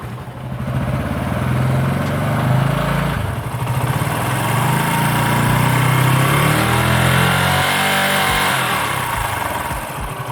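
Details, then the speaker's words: Motorcycle started and revved with a voltmeter on the battery to test charging; steady idle and smooth revs, magnet coil and rectifier regulator both working correctly. "तो अभी आपने voltage readings देखी, और इससे हमें पता चलता है कि इस बाइक की जो मैग्नेट कॉइल है और जो रेक्टिफायर रेगुलेटर है दोनों बिल्कुल सही काम कर रहे हैं।"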